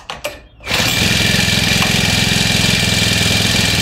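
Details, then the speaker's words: New grass cutter (used only three times) that died mid-cut, restarted after fitting a new spark plug: a couple of pull-cord rasps, then the small two-stroke catches at once and settles into a steady buzzy idle; faulty spark plug was the cause. "So one stick mga kaamig umandar siya agad. Ibig sabihin ito yung sira niya spatay muna natin."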